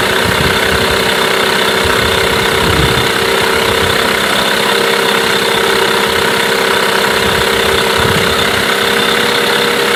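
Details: Mercury 8HP two-stroke outboard, bought used after sitting unknown time, first start test in a water tub after carb cleaner; steady even idle with constant buzzy note, no misses or knocks; healthy normal idle.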